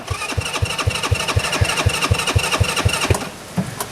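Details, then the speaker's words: TW200 Trail Wagon runabout kids' UTV on a jump pack, battery won't charge: even cranking at about four strokes a second for three seconds, fuel pumping out, motor sounds decent; normal cranking. "so yep I saw fuel coming out I think you guys saw it better than I did so and then the motor actually sounds pretty decent"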